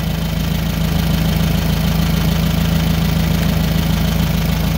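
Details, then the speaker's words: Nissan forklift K21 petrol engine idling rough with uneven beat from a single-cylinder misfire, also has a failed catalytic converter; being diagnosed with amp clamp and oscilloscope on coil current. "all right so i'm gonna start it up you can hear it it runs rough"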